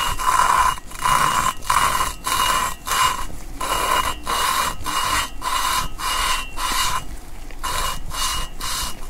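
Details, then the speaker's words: Valve lapping on a 20-valve cylinder head: a small valve is twisted on lapping compound with the mic close by, giving gritty rasping strokes about 1.5 per second that start loud and fade almost completely as the seat grinds in. "It's going to hear a really loud grind noise, and then it's going to get really, really subtle and eventually go away almost completely."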